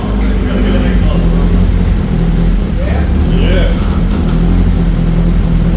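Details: Nissan 240SX turbo project car just revived after timing work, not revved since turbo misbehaves: steady low idle with even beat, no misfire stumbles or ticking, holding speed; healthy quiet idle.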